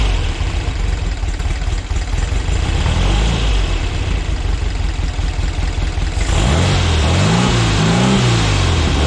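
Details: VW Split Bus air-cooled flat-four upgraded from 1904cc to 1968cc (92mm pistons, 74mm crank, dual Weber carbs with 32 venturis and 145 mains, SuperStock 37/32 heads), freshly timed; loud, lumpy idle blipped up several times, settling back evenly: healthy fresh engine.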